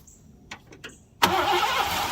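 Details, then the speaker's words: 1987 Mercury Grand Marquis LS, sitting since at least 2017, first start in almost a decade using brake cleaner as starting fluid (too much): cranking clicks, then it catches harshly with a ragged, uneven burst. "Well, that sounded terrible. I didn't like that."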